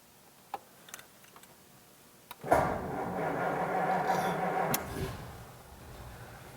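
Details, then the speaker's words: Rebuilt flathead V8 in 1948 Ford Super Deluxe sedan, about 1,000 miles since restoration, cold start: a few clicks, then soft, low, even idle barely audible and smooth; healthy. "an't that neat it's quiet you can't hardly hear it run"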